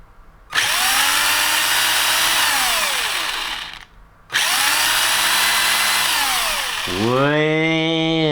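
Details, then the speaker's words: Tamiya TT-01E RC car with LRP Runner ESC on Overlander 3250 2S LiPo, propped up, full throttle: buzzy motor whine climbs slowly and stays low instead of instant burst, not revving high; worn, burnt motor brushes. "That should be instant bang, burst of power. But also it's not revving high at all. That sounds like a crawler or something. So something's seriously wrong."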